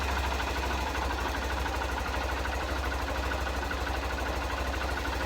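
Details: Honda CBF 125 motorcycle after stator/alternator replacement (it previously wasn't charging, showing negative voltage); steady, even low putter at idle with no knocks, rattles or misses while charging voltage is checked (target 13.4–13.6 V); normal idle.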